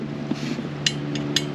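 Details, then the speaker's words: 2005 Yamaha Vector snowmobile primary clutch, never fitted with the factory repair kit, engine off and rocked by hand: sharp loose metallic clacks; factory clutch slider rattle, fixed by Yamaha repair kit. "hear that rattling that's what rattles so let's let's listen to it now with the cover on"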